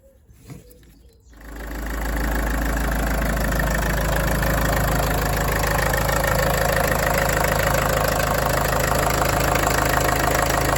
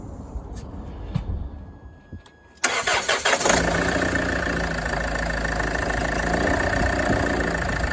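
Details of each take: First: Land Rover Freelander 2 diesel after refitting the belt and replacing the seized alternator pulley: catches after a short crank and settles into a smooth, even idle with no squeal or chatter from the belt. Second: Land Rover Freelander 2 engine cranks, starts and idles with a light plastic tapping near 160 a minute from the right-hand side of the engine; alternator freewheel pulley found seized.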